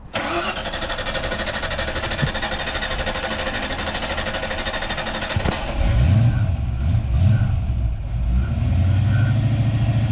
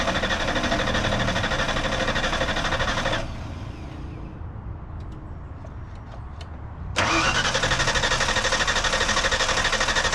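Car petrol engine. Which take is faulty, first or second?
second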